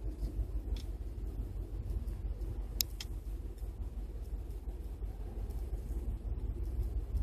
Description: Using the Torque App for Android to capture my 2012 Ford F-150 5.0 idling rough, bucking, jerking due to Ford retarding the ignition timing 9 degrees on the cold start map.